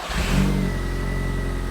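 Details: 1.8T 20V in a Mk1 VW cabriolet after fuel system upgrade (new fuel rail, fittings, regulator), primed and leak-checked: catches immediately, short rev, then steady even idle with faint steady whistle.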